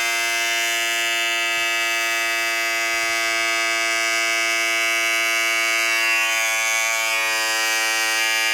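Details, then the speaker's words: Braun 5 Series shaver, about five years old: loud, steady, shrill high-pitched motor buzz, compared with a newer 7 Series said to be about a third as loud; noisy operation, cause not evident. "the only problem with it is that it is pretty loud makes a lot a huge noise when in operation and it's pretty annoying especially first thing in the morning"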